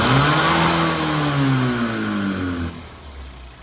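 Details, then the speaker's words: Carburetted car on an on-road tune. With the throttle held open the revs climb, then sag and die as it runs out of fuel. Several needles changed nothing; there is a manifold leak at the head on both sides, suspected carburetor/manifold fault. "So, what you can see there is as you open the throttle, she just runs out of fuel."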